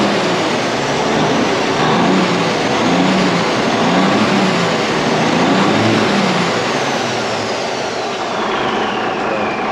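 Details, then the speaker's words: Freightliner truck diesel engine, first run after rebuild: a steady, even roar at constant speed with no knocks or misses; the smoke is oil burning off the freshly assembled pistons and clears shortly. "It's the first time running it, so I think it's smoking because of all the oil that they had on the pistons and stuff when they put it together, so it's probably burning it all off. That's why it's smoking so much right now. But it sounds decent."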